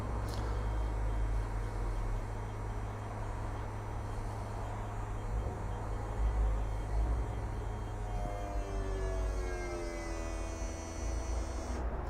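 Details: E&P Level C hydraulic levelling system on a 2020 Bailey Alicanto Grande Porto twin-axle caravan in automatic retract: steady electric pump drone with no grinding, alongside warning beeps. Pump is working normally.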